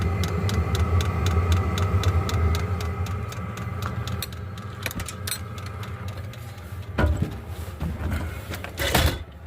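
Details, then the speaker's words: Diesel heater running with no muffler fitted: light, steady ticks about one or two a second from the fuel dosing pump over the heater's even rumble; normal fuel pump ticking, barely audible indoors. "This is my furnace running. My diesel heater, I mean. My fuel tank. As you can hear it running."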